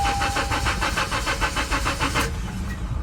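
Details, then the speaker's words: Natural gas (CNG) Honda Civic at auction, CNG system past due for inspection, tank full: even cranking at about three beats a second stops after two seconds without firing; crank, no start. "Uh-oh. Uh-oh. Crank, no start."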